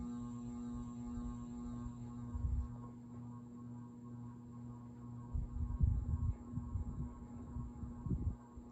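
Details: Craftmade CXL ceiling fan in a Vail, Colorado condo, run through a dimmer-type three-speed control: loud steady electrical hum with low buzz, worse when the knob is turned down; medium speed seems not to work; hum blamed on the dimmer.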